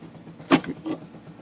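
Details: IBM Selectric III typewriter running unloaded; a few soft, dull thumps roughly every half second over a quiet motor hum, louder under load; caused by a cracked center pulley hub.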